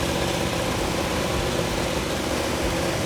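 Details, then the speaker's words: 1971 Plymouth Cuda V8 on an engine stand, timing set about 5–7° BTDC before installation; loud idle with a rough, unsteady, stumbling beat, carburetors seemingly running lean on the idle circuit causing faltering idle; richening planned. "They seem like they're getting real lean on the idle circuit. That's why it's faltering."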